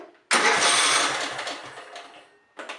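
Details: Scotts riding lawn mower after replacing a charred 25 amp fuse; sharp burst of starter cranking fading over about two seconds, then a brief second bump, so the starter now turns the engine over.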